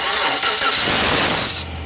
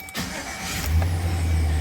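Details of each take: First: 1999-2006 Chevy Silverado 1500, recorded under the truck at the starter. Harsh, gritty grinding during cranking before the engine catches; the owner reports a grinding noise on every start and replaces the starter. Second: 1999-2006 Chevy Silverado 1500, first start after starter replacement to cure a noise: brief crank, quick catch, steady deep even idle with no grinding; clean normal start.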